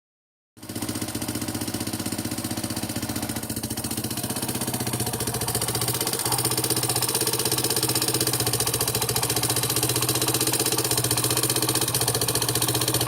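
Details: Yamaha Serow 225 with swapped-in auction engine (XT225 1RF/1KH type, running 3RW1 CDI): steady single-cylinder idle with a busy clatter on each firing pulse, abnormal engine noise, cause not pinned down.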